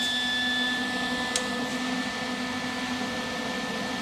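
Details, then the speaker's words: Lincoln 180 amp MIG welder: thin, steady high whistle over the fan's airy rush from cooling vent; placing an air freshener at back vent stops the whistle while fan still heard. "because the noise is unbearable like if you're welding for more than five minutes like it's horrible"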